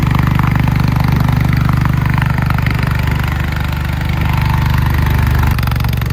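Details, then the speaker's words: 1968 John Deere 140 H3 hydrostatic mower, not run for over 20 years, running after revival; a little smoky; steady even low thump with no knocks or misfires; normal running. "It actually runs pretty good. A little smoky. Who knows how long it's been since the last time it ran. That sounds pretty good."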